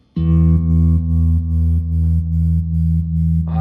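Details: 1974 Fender Super Six Reverb, 100 W, six 10-inch speakers, after restoration with tremolo capacitor values being changed: sustained chord throbs slowly and evenly at about two and a half pulses a second, the slowest setting; tremolo healthy.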